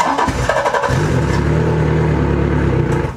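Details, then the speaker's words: 115hp Yamaha outboard cranked by 100Ah WattCycle LiFePO4 lithium battery: quick strong cranking catches almost immediately into steady even idle; cranks really well, this Yamaha dislikes slow cranking. "Wow, I am shocked. It cranked it really well. Both of these batteries crank really well because this Yamaha doesn't like to be cranked slowly. It likes to really get revved."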